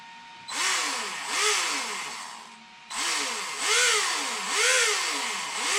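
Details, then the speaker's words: Traxxas X-Maxx 8S RC truck motor, about a year to year and a half old, checked for loud rear noise; spins up and down with rising and falling whine under a rough hissing rasp; front motor bearing shot, motor otherwise works. "no that bearing is shot in the front of that motor so i'm gonna see if i can get a bearing for that"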